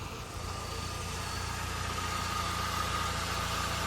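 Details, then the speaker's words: Pontiac, original starter failed and just replaced; now idling after repair, probably to burn off oil that had been sitting, some smell. Soft steady idle, even low rumble, faint high whine, no knocks or misses: normal idle. "But all right, basically all I'm gonna do now is I'm gonna let this idle for a little while. Probably burn off all that oil that's been sitting."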